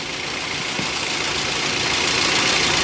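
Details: Toyota Avanza petrol engine with single fan belt driving alternator, water pump and AC compressor with two tensioners: even, steady idle with smooth hiss of belts and pulleys, no knocks or squeals; normal healthy idle.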